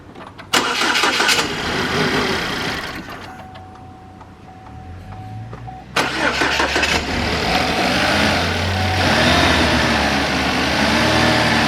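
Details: Ecotec Chevy Malibu with rough idle, backfiring and a smoking valve cover, plugs showing rich: cranks, catches, then idles unevenly with stumbles and popping. Cam timing may be out from a skipped timing chain.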